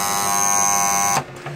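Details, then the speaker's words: Pool filtration electrical box: loud steady high buzz from the contactor that stops when pressed by finger; the contactor is tired and must be replaced. "on se rend compte que c'est bien ici que ça vibre, donc c'est signe que le contacteur est fatigué et qu'il faut le changer."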